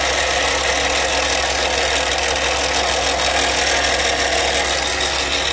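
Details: Toyota Sienna at idle, loud under the hood: a steady hissing whir over the engine, constant with engine speed. A screwdriver held to the ear at the accessories locates it at the alternator; the alternator has failed and is being replaced.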